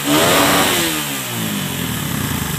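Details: Suzuki Satria F with PE26 carburetor and new filter rubber fitted: sharp rev rising and falling cleanly, then dropping back to an even idle with no stumble; normal revving.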